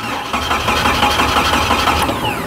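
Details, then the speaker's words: 1997 Jeep Wrangler with a no-crank fault, cranked by applying an incandescent test light to the starter relay control side with correct polarity: even, rapid cranking with the starter pulling the engine over steadily, no dragging or clicking; cranking normally. "You understand power ground side switching, you'll understand that you can take a test light on the control side of a relay connected with the correct polarity and crank an engine over."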